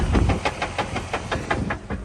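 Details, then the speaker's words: Jeep WJ Grand Cherokee with swapped-in trussed, locked Dana 44A rear axle, rolling: sharp metallic clicks about six per second over low driveline rumble, seemingly from the middle of the rear diff; cause not yet found, some suggest broken ring and pinion. "So, as you guys can tell, the Jeep is making a loud noise. It seems like it's coming from the diff, from the middle of it, so I haven't had a chance to open it up, but today I might go and crack it open, see what's going on inside the diff."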